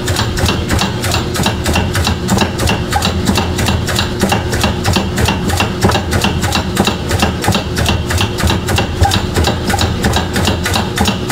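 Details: GE washer: sharp, steady knocking about three times a second over the motor hum. A $180 gearbox replacement didn't fix it; the cause was the failing drive motor, which later failed with broken hard-plastic pieces.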